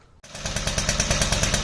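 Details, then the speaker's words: Motobecane moped after fitting a new pulley and clutch to cure an idle squeak: quick, regular two-stroke popping holds an even idle with no squeal or tinkle; normal idle. "Oh yeah, yeah, yeah! No more annoying idle tingle."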